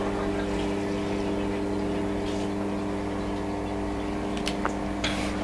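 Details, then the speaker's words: Inflatable hot tub pump after winter storage, filter on: steady low quiet hum with even tone, no gurgling or surging; air purged, water flowing well, not cutting out, no E02 error. "yep I can feel water flowing through there quite nicely and you can hear the pump is actually quiet and down which means that it's managed to get most of the air out and it's not cutting out so it's happy with the water flow you're not getting an e02"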